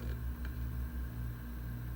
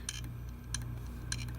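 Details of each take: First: Known-good hard drive on a USB external adapter, compared against failing clicking drives: steady low hum with a faint even whir and no clicking or ticking; the drive spins up and runs normally. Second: Failing hard drive connected through a USB drive adapter: sharp dry clicks about every 0.6 seconds over a low hum. Drive is not recognized by the computer; a bad, clicking hard drive.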